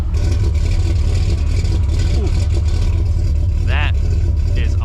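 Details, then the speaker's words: 496 big block V8 in a well-kept truck with a big muffler, just started after a brief starter grind: deep, smooth, steady muffled V8 rumble; normal running. "muscle don't get much better than 496 big block sounds good doesn't she she has a bit of a big muffler in it"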